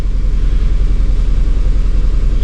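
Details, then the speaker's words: 2002 Honda Civic, loss of power, codes P0300–P0304 random misfires on all cylinders, just started: low idle with uneven, lumpy pulse and a stumble every few beats; misfiring and running rough. "Okay, so just started up and it's running a little rough."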